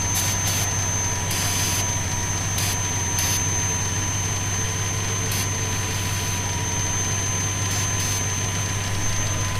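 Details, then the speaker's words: 1970 Plymouth Fury III convertible, 318 V8 with 904 automatic, after a fuel filter change, idling: thin steady whistle above a smooth idle from a vacuum leak, suspected at a line off the back of the carb. "you guys can hear that right the vacuum leak H my head on that"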